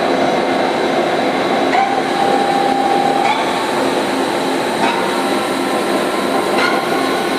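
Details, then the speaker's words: Machine spindle run-up from 1500 rpm to 6,000 rpm; clean whine steps up in pitch and holds steady with no grinding or knocking, spindle load meter minimal, as it is supposed to be: healthy spindle run-up. "and just in 6,000 rpms and you can see the load on the spindle is minimal so that's actually how it's supposed to be"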